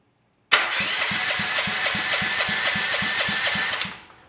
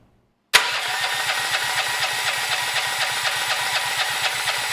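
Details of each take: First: Honda GX390 engine (salvaged from a generator) fitted with a clone bell housing, no fuel, no exhaust yet: even, steady starter cranking with regular compression pulses about four per second, no catches or grinding; healthy cranking. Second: Honda GX390 engine with a Honda-clone generator end cover, no exhaust fitted before, governor spring tension removed; electric starter cranks at about two compressions a second for five seconds but it never fires, choke opened by cranking suspected.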